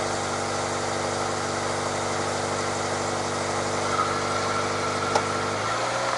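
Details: Toyota 86 / Subaru BRZ, about 7 years old, petrol engine after refitting two missing bolts on the loose exhaust pipe near the catalyst: smooth, even idle with no exhaust rattle or squeal.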